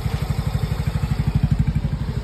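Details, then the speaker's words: Yamaha Mio Gear 125 scooter with 25,190 km, idling after its loose spark plug and cap were tightened. A steady low thumping about nine times a second, smooth with no ticking: the idle is normal again. "Normal na ulit. Walang kalagi-lagitik mga bossing."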